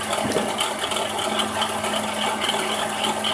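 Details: 2006 Dodge Grand Caravan SXT 3.8L at idle: a constant whirring drone with faint rattly chatter on top; bad alternator bearing.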